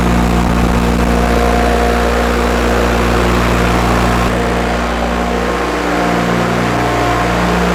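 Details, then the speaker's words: Miller Trailblazer 250 welder generator after valve job and carburetor refit. Engine holds a steady 3900 rpm (thought to be about 3600) with no sag toward idle when switched. Possibly an electrical issue, suspected only: not dropping to idle. "it's still not idling that may be an electrical issue but it's running at 3900 RPMs all the time and that's too fast"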